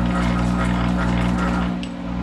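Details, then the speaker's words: Monarch 10EE lathe with module-controlled thyratron drive, vacuum-tube electronics warmed up after a month sitting, running in reverse at 200 RPM in open belt; a hand grips the spindle and the steady electrical hum deepens into a growl as speed compensation adds armature power, tachometer barely moving: normal. "you hear that growl that is speed compensation as it senses the load and a reference voltage is used and when there's a difference between uh it adds power to the uh Armature circuit to maintain SC"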